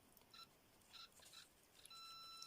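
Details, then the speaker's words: Homemade late-1980s pitch-indicating continuity tester comparing a dead short with a 47 ohm resistor: a few short high bleeps, then a steady clean tone under a second. "I don't know whether you can hear that short circuit that's 47 ohms short circuit 47 ohms"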